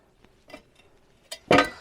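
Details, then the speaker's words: 1972 Rover P6 3500 V8, rear exhaust silencer removed and shaken: hollow metallic clinks and a loud clatter as a loose internal baffle tumbles inside; the box is holed but not worn out. "yeah it is still rattling around inside so it's really too bad because it's definitely not old"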